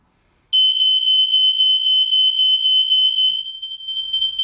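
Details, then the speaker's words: Newly installed interlinked smoke alarm, test button pressed: loud piercing high tone warbling about four times a second, steady; alarm sounds correctly, upstairs interlinked unit also triggers slightly later. "we've got the test and push push button here just press it until you hear the audible alarm because it's an interlink system we'll make sure the one upstairs is going off as well before we before we cancel the test"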